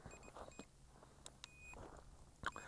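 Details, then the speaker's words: SJRC F11 Pro brushless GPS drone resting on its landing pad with return-to-home and landing active. Faint, short high beeps come in small groups and stop once return-to-home is turned off. "then I'm going to turn off the return to home and landing stop the beeping okay no more beeping we're good to go again"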